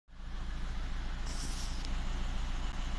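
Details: VW Touran 1.9 TDI diesel at idle with a cylinder 3 misfire code and an injector code: a rhythmic stumble and an uneven low pulsing from one cylinder not firing properly.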